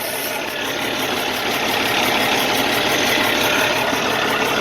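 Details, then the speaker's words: 2012 Kenworth T660 with Cummins ISX diesel: loud rough idle with uneven pulse about four times a second; software shows cylinders one and six dead, number six leaking fuel; possible injector or head problem, engine suspected bad. "after checking with the software this is in the number one and the number six are not working at all that could be a potential problem with injectors of the engine but the engine sounds not good"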